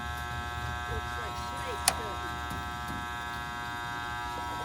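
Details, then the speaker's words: Goodman gas pack (package unit) on a no-cooling call: constant electrical buzz with the motor humming but not spinning up. Possibly started today; a failed run capacitor is suspected. "I think I hear the death buzz. I heard that that just started today, I think."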